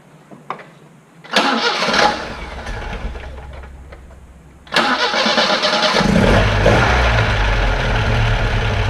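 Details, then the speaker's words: 1978 Alfa Romeo GTV with new water pump, hoses, motor mount, front exhaust and replaced torn intake manifold rubber spacers that had caused poor idling: cranks briefly, catches cleanly, settles to steady even idle, no misses or knocks; normal start and idle. "So before we open up the garage door, let's just listen to it idle."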